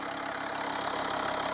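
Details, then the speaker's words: Volvo V50 D5 diesel at 142,000 miles, cold idle just after EGR valve and pipework cleaning: a steady airy hiss over the idle from low at the front belt drive; a tensioner or pulley is suspected. "Let's fire it up and listen to it. hissing noise somewhere."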